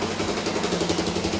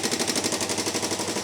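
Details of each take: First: Revived budget ATV quad with a JB-Welded cracked case, cleaned carb, checked valves and new rear axle assembly: small single starts right up in neutral and settles into a steady, smooth, quiet idle with no knocks or rattles. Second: Single-cylinder ATV with a JB-Welded cracked case, first start after clearing a clogged carb pilot jet: fast, even light ticking over the running engine. Model is prone to it; owner suspects the valves and plans to adjust them. Valve train ticking.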